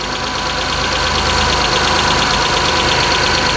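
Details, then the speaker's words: Mitsubishi Eclipse 6G75 engine just rebuilt with new timing belt, coil packs, plugs, throttle body, injectors and lash adjusters, cold start: steady even idle with faint quick valve tick; intake O-ring leak gone, tick hopefully normal. "let's pray that tapping doesn't come back although this tapping sounds i hope that normal not too familiar with this engine and newer engines for that matter but i think that's normal um"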